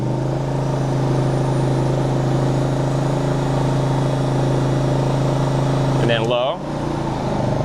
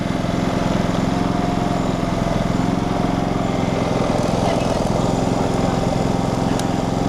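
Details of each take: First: Generac GP3300i generator (model G0071532) after repairing its won't-shut-off fault, running a heat gun as load. It holds a steady, even drone that shifts slightly as the load switches on, with no surging or knocking; working great. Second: Generac GP3300i generator (model G0071532) that won't shut off; the cause was later found in the coil kill-signal lead. The engine keeps chugging at a steady idle, about three beats a second, with no sign of dying.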